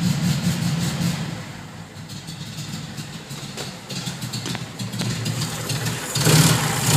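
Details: 1972 VW Fastback with a fuel-injection issue, still warming, heavy smoke; uneven lumpy running with irregular stumbles and a rev surge near the end; rough rich running that improves as it warms, cause not confirmed.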